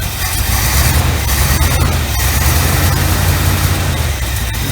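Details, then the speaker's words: 1975 Chevy Camaro V8 idling cold on electric choke: rough, loping rumble with uneven stumbling beat; one cylinder missing. "You hear it kind of running rough. I'm going to have to let it warm up so this electric choke will disengage some."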